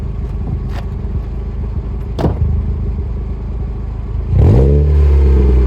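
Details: Volkswagen Golf with a newly fitted exhaust replacing one whose catalytic converter had broken off both pipe ends, recorded outside: deep, even rumble with no rattles or blowing, smooth rise on a throttle blip. Normal exhaust note.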